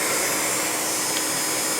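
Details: 1949 Revere Model P-90 silent 8mm projector, small AC brush motor; steady airy whir from motor and fan, constant pitch, no clicks, scraping or wobble; running healthy.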